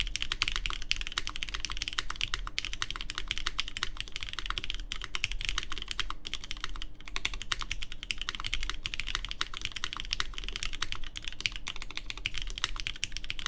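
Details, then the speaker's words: Baron Boards BP One in gasket mount evenly placed around the aluminum plate, GMK Terminal keycaps, lubed Cherry MX Black Clear Top switches: fast even soft low thock, no ping or rattle; judged the best-sounding mount so far, after stiffer and more flexible versions. "Pretty good. That sounds nice. Yeah, I do think this is the better sounding one so far."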